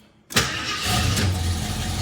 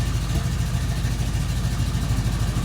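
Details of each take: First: 1973 AMC Hornet cold start after vacuum repairs, before setting timing and idle: quiet, then catches at once and settles into a steady run, a little grumpy; previously dieseled at shutdown and hung on hot restarts; good cold start. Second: 1973 AMC Hornet carbureted engine after vacuum repairs, cold start as temp gauge begins to rise: uneven idle, deep low throb broken by irregular pops and stumbles. Still popping; timing, idle speed and idle mixtures are to be set once warm.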